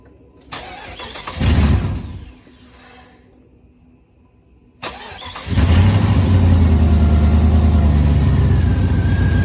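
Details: 2001-2007 Jeep Grand Cherokee Laredo 4.7L after replacing alternator and snapped drive belt: starter cranks briefly, catches, settles into steady, even low idle with no squeal or knock; healthy running.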